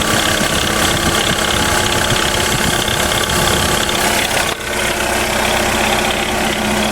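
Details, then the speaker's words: Jeep Renegade 1.8 petrol engine idling: rough, gritty whir with a steady whine over the engine note, heard before the water pump and alternator bearing were replaced; water pump bearing noise. "aí galera se Vocês conseguem perceber barulho vindo da bomba de água"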